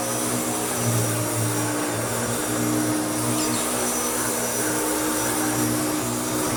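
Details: Restored Hoover Turbopower U2724 upright vacuum with a new belt, cleaning sand from a stiff wall rug: steady, even motor roar with constant hum, no rattles or pitch wobble; normal, smooth running.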